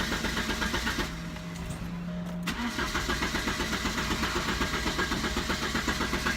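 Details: 1988 Porsche 944 after new fuel pressure regulator and DME temperature sensor, DME jumped; fuel pump hums, then starter cranks evenly about four beats a second but engine never catches: crank, no start.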